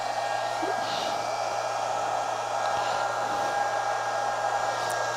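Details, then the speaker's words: Chinese handheld stick (arc) welder feeding a dead short, drawing about 4 A from the mains at very low output voltage; even airy cooling-fan rush with a faint steady high whine, no surging or crackle; coping normally. "yeah it doesn't seem too unhappy putting out sort of current into a short circuit i'm not going to leave it on too long actually it's only pulling about four amps from the mains"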